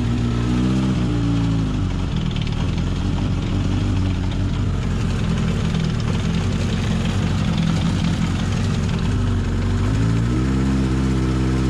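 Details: Honda CB750 KZ four-cylinder restarted after sitting since last summer, with a long-standing clutch-area noise that does not go away when the clutch is pulled in. Rough mechanical clatter persists as the revs dip and rise; the clutch basket has already been replaced and the cause is still unclear.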